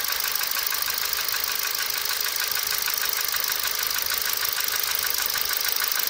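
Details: 1.6 Ti-VCT engine: light, fast, very even metallic ticking of about three per second over a quiet idle; cause not yet identified.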